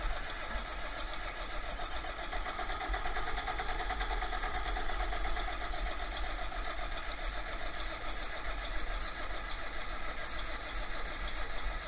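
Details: 1966 John Deere 4020 diesel tractor with newly installed injection pump, injectors bled, battery charged overnight: steady, even cranking for about twelve seconds with no firing. Pump timing marks are 180 degrees out, so it won't start.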